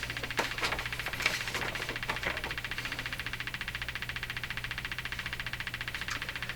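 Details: Hammarlund HQ-180 receiver, hot after running a while, with its audio stage oscillating: a steady low putt-putt of about a hundred beats a minute over hiss.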